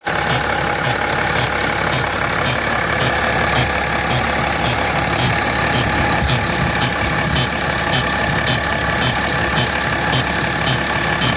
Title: 2010 E70 X5 - Strange Engine Noise